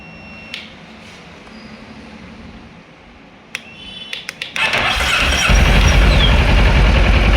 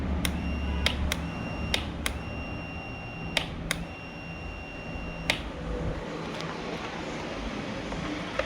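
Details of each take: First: 2011 Kawasaki ER-6F (Ninja 650R) that wouldn't start after sitting a month. After moving the starter relay, which still has a small loose connection, a few clicks, then the engine catches and settles into a steady, even idle. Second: 2011 Kawasaki ER-6F (Ninja 650R) that won't start after sitting a month. With the starter relay refitted and the ignition on, scattered sharp single clicks with no cranking, then a sudden loud rush at the end. Cleaning didn't fix the relay; there is a small loose connection.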